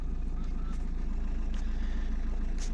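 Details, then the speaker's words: Opel Zafira B 1.9 diesel after repair of a no-crank, CAN bus fault caused by water and corrosion under the fuse box: idles with a low, even throb and steady rhythm, no misses or knocks; no errors, running normally. "можна рахувати і сказати що ремонт завершено машина працює перевірив їзди помилок ніяких не вибиває Все функціонує так як так як повинно"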